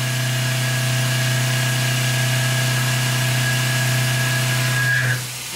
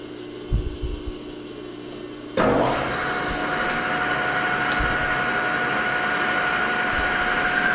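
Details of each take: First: Lathe turning an O1 tool steel boring bar, cut in two depth passes to reduce chatter: a steady hum, then a faint high ringing of slight tool chatter as the tool finishes a full radius cut. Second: Lathe turning O1 tool steel boring bar stock to about 0.750 in outside diameter with a new insert: motor hum, then steady even hiss with clean high tone, smooth chatter-free cut landing right on size; normal lathe cut.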